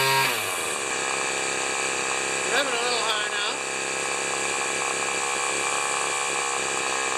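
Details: Cheap two-stroke weed trimmer after carb mixture screw adjustment and tightening two screws; carb spray no longer changes running: steady high-pitched buzz held well above normal idle; idling too fast.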